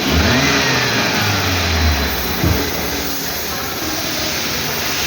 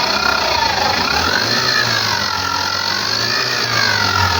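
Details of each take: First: Maruti Carry engine after its noisy alternator was replaced, with no scanner codes: smooth, even running with one brief rev settling back, no whine, squeal or chatter; the noise is gone and it runs healthy. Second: Maruti Suzuki Carry van, engine noise complaint, no scanner codes; belt-driven parts checked by hand: steady whirring whine with faint wavering squeal over soft idle; noise traced to the alternator.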